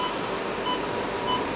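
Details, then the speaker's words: 2008 Infiniti QX56 reversing toward a parked car: short high beeps about every half second over the quiet running vehicle, the normal first rear parking sensor warning, which speeds up toward a solid tone as distance closes. "Okay, there we get our first set of warnings for the parking sensors. You can hear the beeping."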